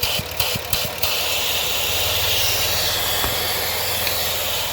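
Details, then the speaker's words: 2007 Dodge Nitro 3.7 V6, 147k miles, check engine light on with idle surge: loud steady hiss over a low even idle, a vacuum leak through a split PCV hose found after other split evap lines. "There's a hole in that PCB line, I want to say. Not sure where that hose go to, but I know it's leaking."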